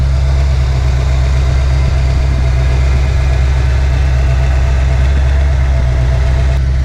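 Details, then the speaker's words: Ford Foxbody Mustang with BBK headers, just back from a shop after H-pipe exhaust leaks were fixed; steady even low rumble at constant speed but sitting a touch fast, owner says it wants to idle a little high today; high idle. "but I'm gonna be honest with you, these things still give you trouble from time to time. Now mine wants to idle a little high today."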